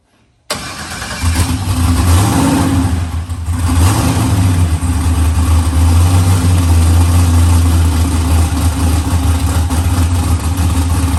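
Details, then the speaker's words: New LS-swapped forced-induction Mustang (TKM V8, Holley intake) on first start: fires and settles into a lumpy idle with irregular stumbles; a slight misfire blamed on the untuned fuel map, with changes being made to fix it. "Matt's going through the fuel map right now. He's got to make some changes on it. It sounds great. I had a little bit of misfire thing to it, but he's going to fix that up real quick."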